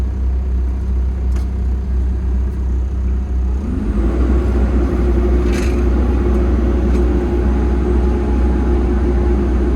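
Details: Diesel machine after a fuel filter replacement, with rail pressure checked as good: it rumbles at idle, then revs up and holds a steady, even drone with the hydraulics stalled and the boom up, no hunting or stumbling; normal operation under load.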